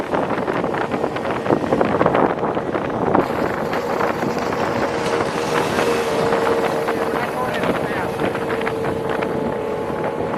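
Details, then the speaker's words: Tohatsu M40D 40 hp two-stroke outboard, about 30 years old, after repairing the worn fuel pump: a steady high-revving drone at full throttle holding an even pitch under wind and water noise, pulling cleanly. "Ah. Well, it seems to be running just fine. Let's pin it and see how we do at full speed."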